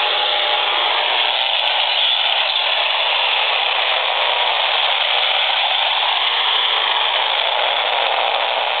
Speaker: the computer has reached its startup screen it's very very noisy and that noise is extending out of this machine by about 4 ft